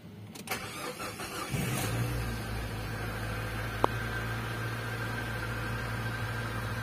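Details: Nissan Grand Livina engine, first start after overhaul (engine had seized from oil not circulating), radiator and oil refilled: short crank, then quiet, steady, even idle with no knocks or ticks; normal idle.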